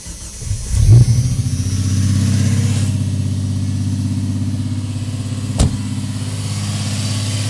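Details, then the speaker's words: 1989 Jeep Cherokee XJ, Renix-era 4.0L, cold start: engine catches, then settles into a fast, steady, high idle of about 2,000–2,500 rpm; faulty idle air control valve, cleaning didn't fix it, being replaced. "what's up guys so today we're going to be replacing the uh air idle control valve on the XJ um once it's warm it idle pretty decent um but on Startup it idles at like 22500 RPM"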